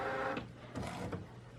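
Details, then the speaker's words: Fine-art print printer, first use of the day, loading a sheet: quiet whirring of feed rollers with a few soft clicks and shuffles as the paper draws in smoothly; normal paper feed. "but this is the first time it's been on today, so hopefully it will print okay. So it just feeds it in,"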